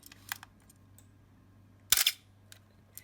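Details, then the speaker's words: Canon A-1 35mm film camera with the infamous shutter squeak, heard in a quiet room: a few faint clicks, then one bright, harsh shutter release with a squeaky, dragging edge from a dry mirror damper gear. "that's not a healthy sounding shutter so i'm going to show you how to fix it"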